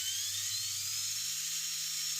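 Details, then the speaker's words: An Indesit washing machine's universal motor runs free off the machine with a high, hissy whine climbing slightly in pitch. It has new, slightly rounded graphite brushes bedding in after the worn brushes were replaced and the commutator was sanded and polished. "Затем чуть скругляем щётки, ставим их на место и запускаем движок, чтобы они притёрлись."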